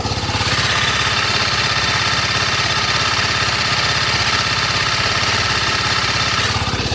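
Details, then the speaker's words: TVS Apache RR310 single-cylinder motorcycle, cold first start of the day, idling: busy clattery top-end ticking louder than its usual noise, more noticeable when hot; no power loss; owner suspects cam chain tensioner or valve clearance after a fall. "De por si el motor es algo ruidoso, digamos, pero eh yo detecto como un eh voy a expresarlo así, un claqueteo eh un poco más fuerte."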